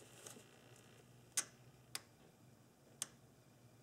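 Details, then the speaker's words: 1997 Nissan Maxima EGRC solenoid valve (P1400) tested with the negative lead on terminal 2: four crisp plunger clicks about a second apart in a quiet room, so the valve works correctly. Normal solenoid click. "this valve is working correctly if you don't hear the plunger move inside this body then the valve is bad"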